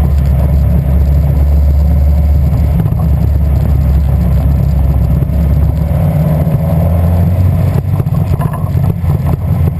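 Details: Westfield with Zetec engine at idle: deep, lumpy beat with occasional dropped pulses rather than a smooth drone, missing on a cylinder.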